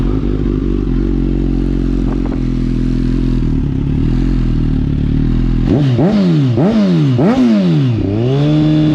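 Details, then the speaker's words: Suzuki GSX-S 1000, hot, after aftermarket header install, before ECU flash: twin-pipe idle runs unevenly, revs swinging up and down in repeated surges; lean idle surging from too little fuel. "Hear the surging in the idle? So that's where the bike is super lean now, meaning not getting enough fuel."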